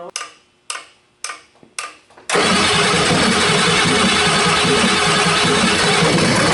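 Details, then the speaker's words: 1989 Ford 7.3 IDI non-turbo diesel, first run after new batteries: four slow cranking bursts, then catches into a harsh, uneven clatter; rough running, air suspected still in the fuel system. "it sounds like there still air in the system"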